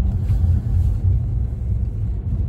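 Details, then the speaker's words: Bentley Continental Flying Spur after air shock replacement, road test at 38°F: steady low road rumble over bumps with no clunks, knocks or rattles; suspension quiet. "it is nice and quiet"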